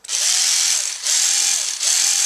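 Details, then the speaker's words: Ryobi HP53L Tek4 lithium screwdriver running in forward, noise more noticeable than on a second unit: three short rising-then-falling buzzy whines over hissy motor noise, no load; abnormal gear noise, owner may grease gears, cause unconfirmed. "i'm going to take it apart see what's up with it it's kind of making a noise when it's in the forward it's more noticeable"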